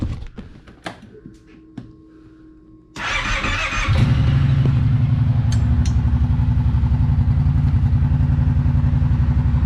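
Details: Kawasaki Brute Force 750 ATV on stock exhaust, before BigGun Evo install, being decibel-metered: after a few clicks it fires up and settles into a strong, steady, even-pulsing idle with no misses.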